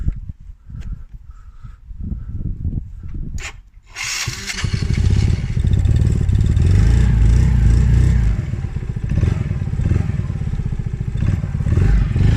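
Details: Polaris Outlaw 50cc quad just started after carb clean and blocked pilot jet cleared (previously overflow leak, no start). Quick even putter rising cleanly on throttle blips and settling back: normal running and revving.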